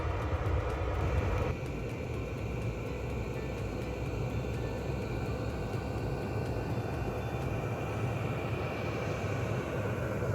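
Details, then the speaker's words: Portable Vevor 8kW diesel heater in a micro-camper van, running at full power after startup while heating toward a 17-degree set point: steady even fan and combustion roar after a small early step, no knocks or rattles. Normal full-power running. "now you'll hear the fan increase initially it'll go to full full speed full power once the 17 degrees is reached inside the van and then it will uh it will kick back and run run quite quietly just to maintain that 17 degrees in the van"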